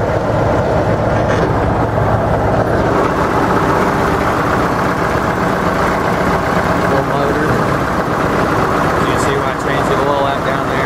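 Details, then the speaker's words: 1964 GM PD4106 bus, GM 8-71 diesel, recorded at the rear by the exhaust: dense, steady clatter at even idle, no stumbles or knocks, no smoke; healthy idle. "on the inside she is running so if you can't hardly hear hear me it's cuz I'm back by the thing but you can see no smoking no nothing like that"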